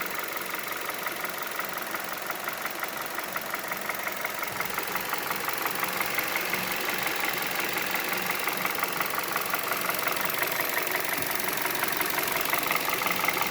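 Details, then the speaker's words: 2011 Hyundai Solaris G4FC, 166,000 km, warm idle at 83°C coolant, oil 79°C: light, even ticking knock about three per second, steady; persists despite new chain and phaser; compression normal; cause unconfirmed. "Ну так постукивает сейчас сколько там Ну вот 83° температура антифриза"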